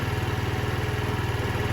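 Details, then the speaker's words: 2007 Diamo Retro 50 GY6 scooter with a new intake tube, idling to charge the battery, keeping the original fuel petcock. Steady, even low putter at about thirteen pulses a second, no knocks or misses. Normal idle. "It's running now. I'm gonna let it sit and charge up anyway with the battery. Sounds like it's running good, so guys, I don't know why, but I'm not even gonna change the fuel petcock, even though I have one coming."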